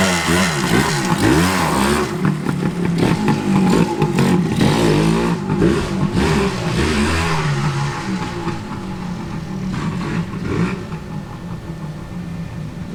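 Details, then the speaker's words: 1981 Suzuki TS250 two-stroke, after carburetor bore setting corrected: kick-started, crackly engine climbs in rapid throttle blips then settles into a steady busy idle; pulls cleanly and powerfully, normal running. "That thing is powerful. That sucker. You crack that throttle just a little bit, she'll stand right up on you. Now, that's how a 250 should be."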